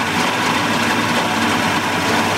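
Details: 1988 Mercury 70 HP inline two-stroke outboard on ear muffs after carburetor work, running on fresh gas with some smoke, and the tell-tale is peeing well. Steady, even two-stroke burble with no misses or knocks, a clean healthy idle.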